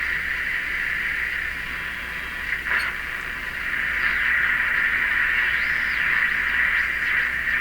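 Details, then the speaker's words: Hallicrafters S-53A radio during wax/paper capacitor replacement, AM broadcast band: steady hiss with slow whistling sweeps; swooshing noise, cause unclear, suspected IF oscillation or a station carrier, oscillator possibly shifted. "got the swooshy sound now we were picking up the french station here very handy before maybe that's what that is maybe that's the carrier"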